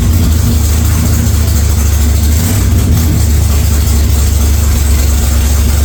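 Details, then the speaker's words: 1946 Chevy truck rat rod engine at idle: deep, loud, steady rumble with a strong low beat, no knocks or misses; healthy, just a loud exhaust; oil pressure took a while to come up after start-up, cause unknown. "So, there we go. She fires up. She got a lot of stuff done on her today and this weekend, so that looks pretty damn schnazzy and it's loud."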